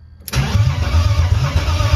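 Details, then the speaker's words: BMW E30 330i on its first start: starter engages but turns the engine over slowly in heavy, uneven lumps without firing, seeming not to spin properly; sluggish cranking, before fuel pressure came up. "cette fois c'est bon comment on dirait le démarreur il tourne pas"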